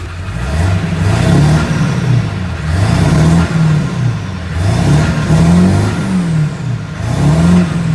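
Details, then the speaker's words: 2000 Ford 7.3 Powerstroke diesel dually, 6-speed manual, after fuel line and engine oil temperature sensor replacement, oil added, lines bled, started with ether: strong deep diesel note through repeated revs, no knock or miss; running healthy. "Bled the lines a little bit. It's a little bit starting fluid, and she's good to go."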